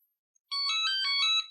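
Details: Hoverboard Scooty R12 with blown capacitor and non-charging battery, switched on with battery disconnected: short bright electronic jingle on power-up; normal startup melody.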